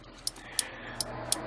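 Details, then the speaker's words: 1968 MGC after converting the turn, tail and brake lights to LED with a new flasher unit: right blinker on, crisp light clicks about three per second, evenly spaced; the flasher is cycling normally, sounding slightly different from the old one. "so I've turned to turn on the right blinker and you can hear click click so this flasher unit has the sound the clicking sound"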